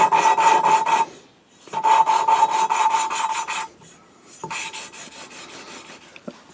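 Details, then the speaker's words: Cylinder head rebuild, valve lapped by hand with a grinding stick and compound: rhythmic gritty back-and-forth rasp at about four strokes a second. The tone changes as the seat beds in; repeated two or three times for a grey contact line. "and when it changes tone yeah you can definitely hear the noise change"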